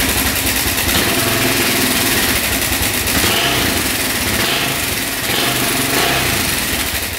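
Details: 2004 Suzuki LTZ400 quad, single cylinder, after carburetor cleaning and fresh fuel: runs fast, slightly uneven on choke, raspy exhaust crackle, no knock; idle turned up as throttle was slightly low; no smoke; no coolant, oil low.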